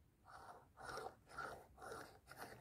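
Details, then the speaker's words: Old, worn Peugeot wheel bearing, removed and spun by hand, giving a dry, gritty rasp that surges about twice a second; it is replaced with new original Peugeot bearings. "Et puis à côté, on voit donc l'ancien roulement qui était plutôt bruyant, écoutez."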